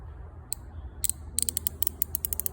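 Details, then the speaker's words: Yamaha TTR90 during a top-end rebuild: about a dozen sharp, crisp ratchet clicks that quicken as the top bolt is tightened; the timing chain tensioner is ratcheting normally, with tension set by how far the bolt is done up. "it clicking? See the clicks? And that'll just set the tension by how hard to do the bolt up."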